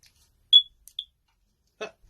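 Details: Smoke alarm test after fitting a new square battery; two short high chirps around 3.5 kHz with a brief rustle, alarm working normally.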